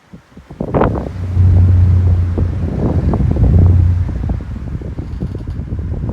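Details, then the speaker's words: Out-of-balance fan blade on a desk fan running on low, loud low-pitched hum with an uneven wobbling throb about three beats a second. "This fan is quite badly out of balance and will be noisy because of it."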